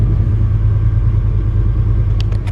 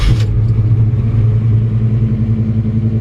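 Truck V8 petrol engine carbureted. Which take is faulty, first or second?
second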